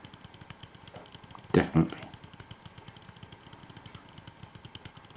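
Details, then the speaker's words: P2 Cock O' North model locomotive motor, removed and held in the hand while running. A fast, even ticking knock with a couple of louder bangs; the motor is confirmed faulty. "oh wow I'm now holding the motor and that is banging away between my thumb and finger can you hear it I suppose you can that's horrible that is definitely the motor though"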